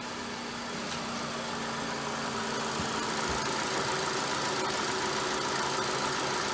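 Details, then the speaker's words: 2012 Ford Focus SE running after head gasket replacement and timing done with cam locking tools: steady, even idle, consistent mid-pitched hum, no knocks or misses; engine healthy. "Ooh, I got goosebumps. It's exciting hearing this thing run."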